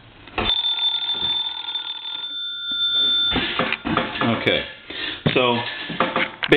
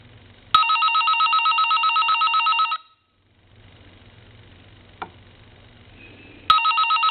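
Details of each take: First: Vintage Siemens Milano Italian wall telephone, hook switch held down: bright rapid metallic ringing in bursts with steady high tones; normal antique-phone ringing. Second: Vintage Siemens Milano Italian wall telephone, before repair, hook switch held down, ringing with its add-on electronic ringer shorted to high: shrill, buzzy electronic warble in about two-second bursts, harsh and thin rather than a bell.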